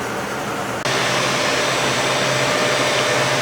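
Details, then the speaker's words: Suzuki Hayabusa GSX1300R after a wreck, hot engine with coolant issue (owner wondered about a sticking thermostat): cooling fan whooshes on and keeps a steady airy rush; engine then won't restart, only grunts, so a definite cooling problem. "So now the fans is on again and it don't want to start."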